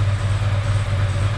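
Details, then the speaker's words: Ducati ST4S V-twin idling at about 1100 rpm during throttle body setup with a gas analyzer: a steady, deep, even thrum. The idle picks up as the mixture bleed screw is adjusted, lowering hydrocarbons and oxygen toward about 4 percent. "you can hear the idle mixture pick up it has brought down the hydrocarbons and the oxygen that's usually what happens when you make it happier"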